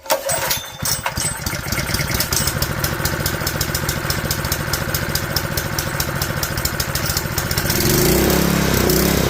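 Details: Honda GX160 junkyard engine after a carburetor rebuild, started on choke: it starts after a few cranks and picks up a steady, quick popping idle that rises slightly near the end, running cleanly while smoking heavily.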